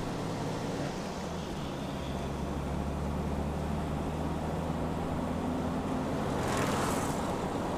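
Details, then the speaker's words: Jeep on its new Toyo tires, replacing Super Swampers that developed flat spots: a steady low road hum at cruise with a soft, even tire drone and no thump or howl. The tires are healthy and quieter than the old ones. "hear it there a little bit of tire noise but not bad definitely a lot quieter than the old rubber was"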